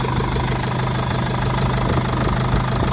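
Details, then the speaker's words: Jeep Liberty CRD diesel after full engine reassembly from the block: steady, even idle with light injector clatter, no misses or surging; runs healthy. "She's purring, man. She's purring. Everything feels real good in here."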